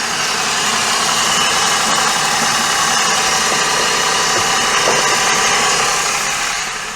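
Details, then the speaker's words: Daihatsu Sirion that has made horrible noises since bought: harsh, gravelly whir over the idle, a rough rhythmic churn near four per second; traced to worn alternator bearing and water pump. "I don't think those engines make particularly nice noises at any point but that does not sound healthy"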